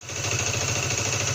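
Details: 2015 Derbi DRD 125 fuel-injected, hot engine at idle or very low revs: steady thumping about ten times a second with a thin constant high squeak; coolant and oil levels correct, owner suspects internal source, not confirmed.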